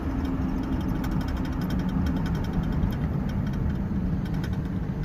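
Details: Pickup driving at road speed after a front hub replacement: steady engine and tyre drone with no rhythmic growl or grinding from the wheels. The new front hub runs quietly; the repair was a success.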